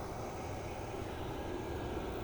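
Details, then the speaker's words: Hot-water pressure washer (Honda GX390 engine, electric diesel oil burner) switched on with no system pressure: steady airy blower whoosh without combustion; fan runs but the burner isn't lit, suspected because the pressure switch disables ignition and fuel pump. "And there is a fan running. Kind of sounds like the oil burner is running, but it's not actually lit."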